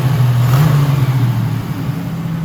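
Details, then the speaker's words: 1987 Buick Turbo T (Grand National) on first drive in 12 years after fuel line and electrical repairs: deep exhaust note jumps quickly on throttle and settles smoothly, revving freely with great response; one exhaust backfire noted; about 185°F coolant, 13 volts, 800 rpm idle. "But besides that backfire through the exhaust, everything seems to be running just fine. It's getting great response."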